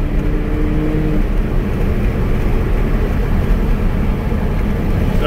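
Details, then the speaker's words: 2004 Chevy Colorado 3.5 L road test: pulls smoothly under road noise with no stumble; fuel pressure holds instead of dying off as before. Normal acceleration, fixed. "I remember before the fuel pressure would just die off so there we go it's accelerating no problem it's maintaining fuel pressure"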